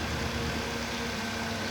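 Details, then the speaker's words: 2003 Ford Fiesta 1.0 Zetec Rocam after replacing the timing chain tensioner, which had caused a chain rattle at 3000–3500 rpm: smooth, even idle with steady low hum, no chain slap or metallic rattle; normal. "substituindo então o o tensor demos uma demos uma voltinha aí com o carro parou aquele barulho de ali a 3.000 3500 RPM"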